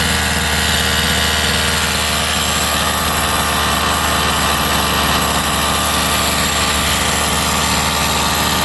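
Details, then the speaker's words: Rovan 45cc two-stroke engine refitted to the chassis. A steady, even buzzing idle with no lumpy shake, far less shaking than before; the clutch is suspected to have been out of balance. Runs smooth now. "It's not shaking as much as before. Definitely went way better than before. It's not shaking that much."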